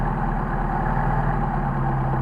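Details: Mercedes 190SL Solex carburetors on a test run, with a sticking choke, stiff self-adjusting throttle linkage and leaking second barrels: steady, even idle with no stumbles but running faster than a proper idle as throttle is not fully returning; high idle.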